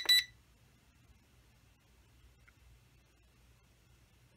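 One short, high electronic chirp, then near silence; that's the camera confirming it has started recording.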